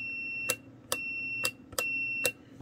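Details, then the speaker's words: Continuity tester on the repaired, extended trigger cable of a 1968 X-ray machine, button contacts adjusted. Clean high beeps switch on and off with each press, about four in under three seconds; continuity good, cable works. "we have a beeper in here we've got a continuity testers"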